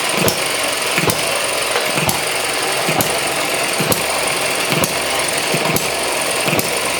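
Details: ET6 model hit-and-miss engine, running after a valve fault was sorted, loose on the bench: sharp firing pops about once a second over steady clatter, coasting between shots under the governor; normal hit-and-miss running.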